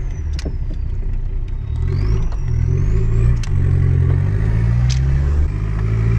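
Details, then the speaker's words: Lancia Delta HPE driving over speed bumps and rough road. Irregular heavy clunks over steady road rumble, getting worse; exhaust was first suspected. Suspension is under a year old. "yeah something sounds very broken and I think it's getting worse by a minute which is not good at all"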